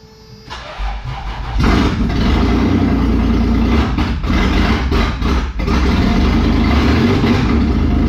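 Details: Toyota 4Runner 3VZ-E V6 after engine repair, exhaust and vacuum lines not connected: cranks, catches and settles into a loud steady rumble, running on all six or at least five cylinders, normal running.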